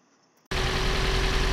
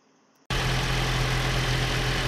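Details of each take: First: About 2013 Toyota RAV4 with fuel injection and one coil per cylinder: after start, rough throbbing idle with deep uneven pulse, engine visibly shaking; misfire at idle, being isolated by pulling coils. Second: Toyota RAV4, about 2013, after replacing the faulty cylinder 3 injector and a dicey cylinder 4 injector. Steady, even idle with a smooth low hum and no stumble; the misfire is gone.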